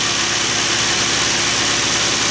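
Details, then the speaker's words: Hyundai V6 with about 120,000–125,000 miles, cold start after valve cover gasket replacement: steady, even idle with a smooth low rumble and a hiss on top, no misses or tapping; normal idle. "runs pretty smooth for 120,000 on it 125"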